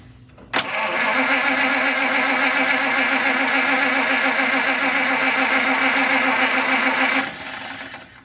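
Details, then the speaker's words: 1950 Pontiac Chieftain, 249 cu in L-head Silver Streak straight-8, after long storage, pump inlet line primed; starter spins steadily three or four beats a second for six seconds without catching, no fuel from outlet: no-start, failed fuel pump. "nothing came out so we definitely have a problem with the fuel pump"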